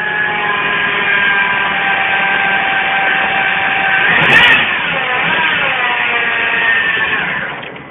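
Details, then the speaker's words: Citroën C3 at idle, whose accessory belt uses a manual tensioner with two rollers: a steady high whine like an electric motor sits over the engine; worn accessory belt tensioner and idler pulley bearings. "como podéis observar y escuchar, suena como si fuera un motor eléctrico. Bien, eso es debido a los rodillos que lleva la correa de accesorio."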